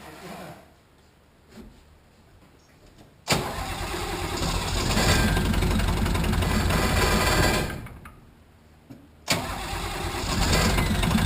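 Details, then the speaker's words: 1980 International Harvester Travelall with Nissan SD33 turbo diesel after oil, fuel and air filter service: cranks, catches and stumbles, dies and catches again, settling unevenly; air in the fuel system causing hard starting, may need bleed screw cracked and priming. "You're okay to give a little throttle. We just got to get the air out of it. We might have to crack that bleed screw again and prime it some more."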